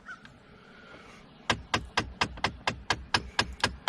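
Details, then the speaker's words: 2013 Jeep Patriot dash, temperature knob turned fully to cold: sharp, steady clicking about four per second from the blend air door actuator at end of travel; stops just off cold; actuator replaced and calibrated. "that actuator has turned that door all the way to the extreme and it's uh clicking if I turn just just a little bit off of cold it that the clicking stops"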